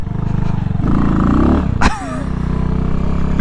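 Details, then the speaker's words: New Amazon-bought dirt bike on its first ride: engine pulls, then briefly flattens and stumbles before picking back up as revs rise; momentary bog on acceleration, cause unclear. "A little boggy right there."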